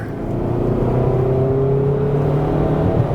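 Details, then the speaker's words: 2020 Kia Sportage, non-turbo 2.4 L four-cylinder, with replacement short block and newly built cylinder head: strong, steady full-throttle drone, clean even tones, no knocking or tapping; runs great with good pickup. "It It runs great. It's got a Yeah. I mean, it takes off. I mean, it's not turbocharged or nothing, you know?"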